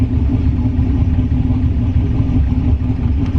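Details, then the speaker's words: Turbo LS-swapped GMC Envoy on a 10 psi tune, restarted hot after a hard pull, with very old oil thinned like water: steady, even low idle rumble with no tick or knock. Holds 40 psi oil pressure at idle. Normal idle. "it's not ticking or knocking or anything"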